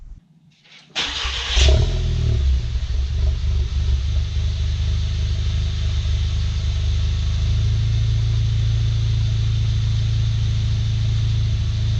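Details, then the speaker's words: VW MK7 just after oil and filter change, new filter, O-ring and cap, no leaks: brief crank, catches cleanly, smooth even idle with no knocks or ticks; normal cold start. "You can hear the car's running pretty good right"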